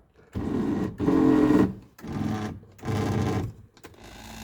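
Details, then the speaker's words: 1982 Mercedes 300SD (W126) passenger power seat motor buzzes loudly in four short runs, coarse rough whine while moving; driver seat fine; plan to remove seat and lubricate mechanism underneath. "Let's go over here and check this passenger seat. Okay, that one's a little noisy."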